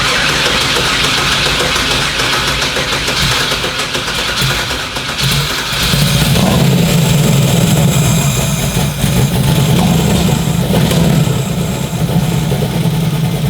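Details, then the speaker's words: First start of a turbo Chevrolet Nova engine while fuel pressure is being set: cranks, catches and settles into a lumpy, uneven idle with irregular stumble; temp gun shows two cylinders not heating, spark plug wire suspected, misfiring on two cylinders. "it sounds a little off and I know I was I I was questioning some spark plug wire over there"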